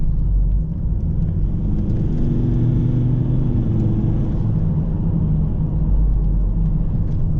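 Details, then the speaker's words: Volvo XC70 2.4L D5 diesel at full operating temperature after high-pressure fuel pump replacement, revved briefly: deep smooth rumble swelling and settling, no knocks; boost and oil pressure fine, no blue smoke, running normally. "Good. I'm happy with that. Running normal, not making any sounds that it shouldn't be."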